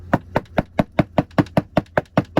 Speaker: Another symptom whenever these actuators fail is you'll hear them clicking whenever you turn the truck on, or when you set the temperature to cold or hot, you'll hear it clicking, or there's some that you can even hear knocking.